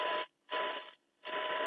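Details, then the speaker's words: Eddystone EC10 receiver after multi-band alignment, 1 kHz test tone at about one microvolt mid-dial; clean tone in steady bursts over faint hiss, showing good weak-signal reception. "that's on one micro volt pretty pretty impressive actually very impressive"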